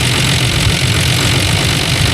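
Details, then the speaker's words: Engine idling after Seafoam and Lucas additive treatment: steady smooth idle; the bad tick heard before is completely gone and it runs smoother. Loose airbox was also tightened. "But there's no there's no tick anymore. We used to have a bad tick. Now it's completely gone. Sounds like it's running smoother."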